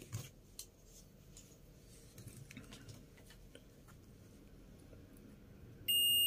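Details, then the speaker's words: Multimeter continuity test on the bad fuel injector (already lab-tested): quiet probe handling, then a steady high-pitched beep from about six seconds, reading 14 ohms coil resistance; the injector coil has continuity and is intact. "cuando tocas entre los dos Pines o lo que vayas a medir te da el valor de resistencia de la bobina cuando mide continuidad también"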